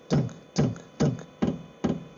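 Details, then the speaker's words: Sunster 8kW diesel heater, new out of the box (arrived after a fall but works), on a wooden table acting as a soundboard, running on 1 litre of diesel: at startup the dosing pump clicks audibly, loud regular dull thuds about two per second, normal operation. "Right, for a couple of seconds I was wondering there, did this thing click or did it have a quiet pump in it? I can tell you now, it clicks. It's not quiet."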